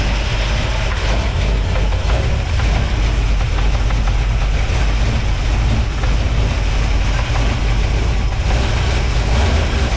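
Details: V8 truck idling just after exhaust header flanges were resealed: uneven, loping beat with one cylinder dropping out, a slight miss; owner first suspected a bad plug wire, then a valvetrain fault, misadjusted number seven or a wiped cam lobe.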